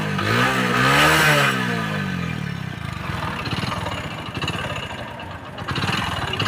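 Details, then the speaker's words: Motorcycle engine with no exhaust smoke and normal pickup: after a throttle blip, a heavy rhythmic knock about three or four times a second clatters from the engine; connecting-rod big-end bearing knock. "तो दोस्तों जैसे कि आप देख सकते हो bike के engine से जो है बहुत सारा आवाज आ रहा है और इसमें मेन प्रॉब्लम जो है दोस्तों इसके साइलेंसर से कोई भी स्मोक नहीं कर रहा है धुआ नहीं आ रहा है"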